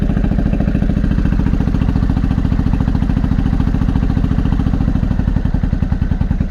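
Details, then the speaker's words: Honda Shadow 500 V-twin, first start after 3–4 years in pieces, fuel leaking: lumpy uneven low thumping at fast idle, missing beats; only the front cylinder is firing. "I think we're only running on one. Why are we running on one? We're only running on the front one. Why?"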